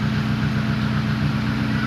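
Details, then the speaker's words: KIA Picanto Cosmo four-cylinder idling with a low, steady hum and no misses after fitting racing spark plug cables; checked for spark leakage after the change and none found, normal idle. "nah jadi kita hidupkan Ya gimana ada bocor api lagi nggak di bagian isinya sudah hidup dan ini sudah enggak ada kebocoran ya"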